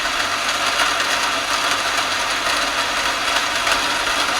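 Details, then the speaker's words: Centrifugal pump cavitating as water flow is increased: steady hissing crackle like gravel rattling inside as bubbles collapse on the impeller; noise grows heavier with more flow, no material inside, just water bubbles. "Ji cavitation एलर के ऊपर आके bubble टूट रहे हैं उसकी आवाज है जी sir अभी कम बबल टूट रहे आवाज बढ़ गई"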